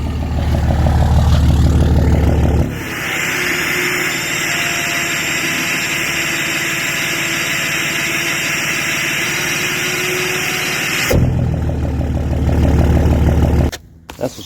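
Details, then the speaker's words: 5.9 diesel VGT turbo swap with vanes held closed and a suspected bad, seized actuator: idle, then a strong rushing whoosh with a steady high whistle; normal turbo behaviour. "what she's supposed to sound like."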